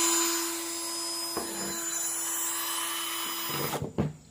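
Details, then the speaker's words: Cordless drill that had power but would not run when the trigger was pressed, after replacing the faulty trigger switch: steady, even mid-pitched motor whine holding constant speed about three seconds, then spinning down; runs cleanly again. "เรียบร้อยครับซ่อมเองง่ายๆนะครับเห็นมั้ยครับแค่เราซื้อสวิตช์ตัวนี้มาเปลี่ยนใหม่นะครับสว่านไร้สายของเรานะครับก็สามารถกลับมาใช้งานได้เหมือนเดิมนะครับ"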